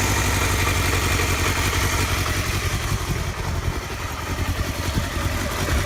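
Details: Honda Hornet 250 idling with an uneven, slightly lumpy beat about 170 pulses a minute and an odd mechanical clatter on top; owner reports an abnormal engine noise, cause unknown.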